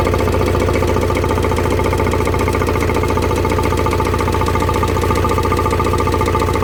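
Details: Vauxhall Vivaro with Renault M9R diesel at idle: sharp, regular knock about twice a second deep in the block; bottom end failed, crank bearings spun from lack of oil feed after oil pump failure; bottom end replaced.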